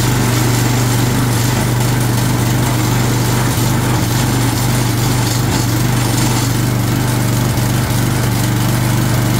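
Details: Long-sitting Craftsman 22" walk-behind string trimmer, 6.75 ft-lb Craftsman flathead single-cylinder, primed with spray before carburetor replacement; steady fast putter, fairly even, no stalling. Normal running.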